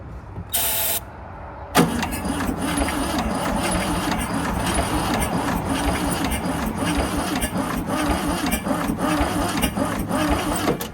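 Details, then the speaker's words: 1971 VW Super Beetle, sat 20+ years, fed fuel and starting fluid down the carburetor with the fuel pump disconnected: uneven, lopsided cranking that never catches; no start, one cylinder about 5 psi compression, valve adjustment planned. "She didn't start, no compression. At least on one of the cylinders, almost no compression, about 5 pounds."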